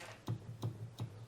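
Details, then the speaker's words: Sequential Circuits Prophet 5 Pratt Read keybed after key bushing change and bus bar cleaning: soft, regular key presses about every third of a second, dull thumps with no crisp click. The key's contact wire isn't meeting the bus bar; fixed by bending the wire with pliers. "This one I'm not really hearing the click, so what I'm going to do is I'm going to adjust ever so gently the wire, oops, with some pliers."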